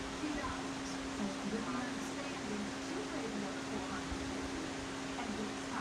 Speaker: It's running on medium, but it's making a humming sound. Like it comes and goes. The wine or the hum.